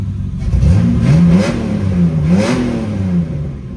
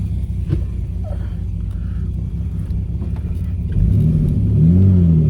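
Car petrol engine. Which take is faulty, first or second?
second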